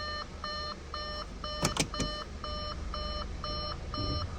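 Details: 2014 Audi A4 Quattro 2.0 L, just after timing chain replacement and clearing codes: steady chime about twice a second over a quiet idle, the door-open warning for a door left open.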